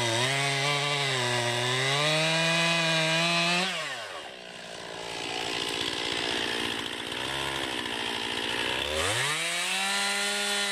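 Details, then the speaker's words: 2020 Stihl MS261, non-M-Tronic carbureted, 20-inch bar, cutting a freshly felled green pine about 1.5 ft round with a straight cut and plunge cut: high steady full-throttle scream dips as the chain bites and recovers cleanly; normal cutting under load. "as you can see it just rips right through that pine it's definitely a lot softer wood nothing eats that pine up"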